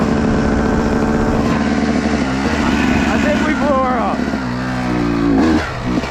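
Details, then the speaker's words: 250 dirt bike on a woods ride: strained, ragged single-cylinder chugging at low revs under light throttle after a sudden odd noise; engine suspected to be failing, and it later locked up, leaving the rider stranded. "did you guys hear that that was not normal well I'll tell you one thing if this bike blew up we are [ __ ] oh oh something don't feel right"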